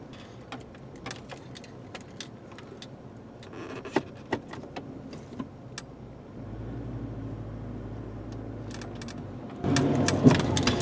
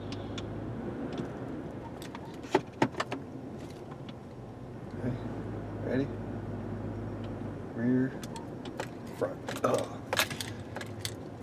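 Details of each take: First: 2003 Chevrolet Trailblazer: sharp metallic clunk from the front end when driving over uneven ground, heard from the left front and at times the right front; diagnosed as worn front sway bar links, replaced with Moog K6666 links. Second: 2003 Chevrolet Trailblazer driven over the spot that reproduced the front suspension clunk, after fix including new front sway bar links tightened hard: low cab rumble and jingling keys, no metallic clunk; clunking noise gone.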